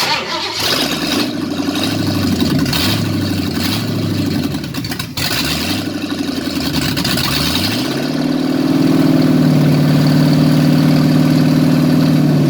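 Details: 1953 Ford F100 V8, first start after repair: steady cranking for several seconds, then a smooth even idle with no knocks or misses; normal idle after repair.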